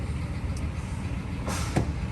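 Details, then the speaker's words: Dodge Ram pickup with 198,000 miles, year unsure (maybe 2004), with the check engine light on: the V8 idles with an uneven, lumpy, clunky rumble and a stumbling beat from a misfire. "okay so i definitely feel a misfire going on with this doge"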